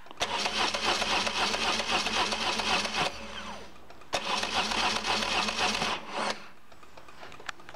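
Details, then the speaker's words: BMW oil-head motorcycle after flywheel replacement for starter grinding: two even cranking bursts, smooth whirring with steady compression beats, no clashing, grinding or screeching; normal starter engagement. "we're going to do a quick test see what it sounds like no clashing no grinding no screeching or grading or anything like that"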